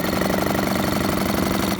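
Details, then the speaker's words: Small single-cylinder generator, bought unseen as a non-runner and now cleaned up, before its planned oil change: steady thrumming at constant speed with even pulses and no misses; a bit coarse but running. "we'll give it a good oil changing but what can you do it runs what can I say"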